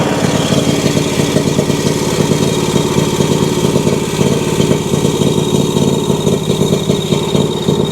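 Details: Exmark Vantage S stand-on mower with Kawasaki FS541V V-twin runs rough and uneven, irregular pops breaking the beat; misfire with popping and low power when blades engage, while fuel pressure is strong and fuel clear, so fuel is unlikely to be the cause.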